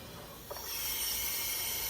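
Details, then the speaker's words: 2006 Ford 6.0 Powerstroke diesel with a crank-no-start fault and a new IPR, during a shop-air pressure test of the oil system: steady high hiss of air escaping past the passenger-side valve cover. "there it is you can feel the air coming out of there all right I guess we're pulling the passenger side valve cover"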